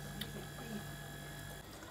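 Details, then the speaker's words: Refrigerator not cooling, after replacing the compressor starter: quiet, steady low hum with faint constant whine, no clicking or cycling; compressor now running normally. "Listen, the compressor seems to be working now. It seems to be running."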